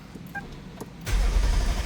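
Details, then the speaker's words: 2009 Lexus LS460 with a no-crank fault blamed on a shorted fuel pressure sensor under the intake manifold; with that sensor unplugged, the starter turns the engine over with a low, steady, even churn. It now cranks normally and the battery held overnight. "Alright, now it cranks, and actually the battery didn't die."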